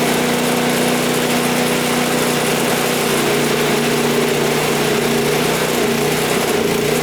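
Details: Toro single-stage snowblower that would not start, running after GumBuster carburetor cleaner, fresh fuel and primer: steady, buzzy single-cylinder idle with no stumbling or surging, normal running.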